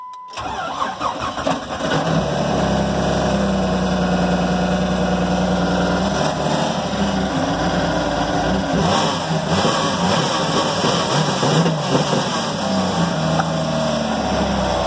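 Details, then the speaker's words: 2004 Jeep Grand Cherokee 4.0 inline-six, lifted junk vehicle, first start with low fuel: catches and runs a rough uneven idle with irregular ticking and clatter; owner thinks it sounds oil-starved, though oil is full and black. "keep running good so to me sounds like it's got no oil not sound very good you don't sound too healthy boys"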